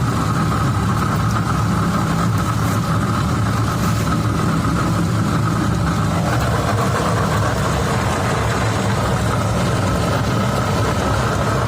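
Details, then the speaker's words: 2015 Cadillac ATS 2.5 in drive: steady low roar with faint constant hum from a badly worn rear differential, sounding like a wheel bearing but not; differential replaced. "i'm gonna start it up put it in drive and let you hear but it's it's roaring it's worn pretty bad"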